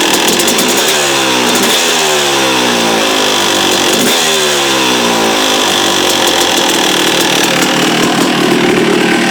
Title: yz250 noise at idle